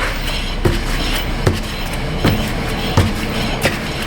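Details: Honda HR-V, hand-spun rear wheel: quiet, with only a light brake pad tap on the rotor and no bearing growl; normal bearing, while the left wheel's bearing is bad.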